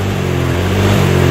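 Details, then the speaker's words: Older Honda Vario scooter at high speed on test ride: revved engine's tone keeps dropping and recovering, jerky stuttering run, worse when pressing horn button; ignition or charging system suspected, not confirmed. "nendut-endutan Suaranya tersendat begitu ya teman-teman ya"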